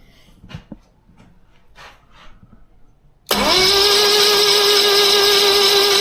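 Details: 1976 BMW 2002 after an automatic transmission install: a steady, even starter whine without the engine catching, cranked on purpose to circulate fluid through the transmission and check for leaks, with the selector moved between park and reverse.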